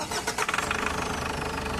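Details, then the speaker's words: Ford Everest diesel after oil change, MAF and sensor cleaning, new air filter and bleeding air from the fuel filter: restart catches and settles to a steady, even clatter; no misfire codes read. "ba good na good na siya Switch off ko nga ulit kung one click na talaga siya"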